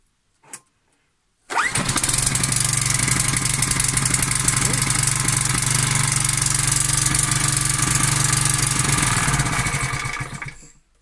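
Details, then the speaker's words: Four-stroke walk-behind tiller after the choke lever was pulled fully so the flap closes completely; it had needed about 20 pulls, and the spark plug was fine. It catches on the first pull into a steady single-cylinder putter, about four beats a second; healthy start. "Asta îl trage complet. Și pornește acum la prima sfoară."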